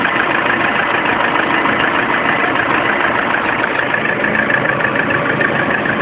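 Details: Lada Priora with a knock at warm idle that appeared at 400 km, now at 5000 km; dull, fairly even knock about three per second over the engine's hiss, source unknown; engine knock at idle.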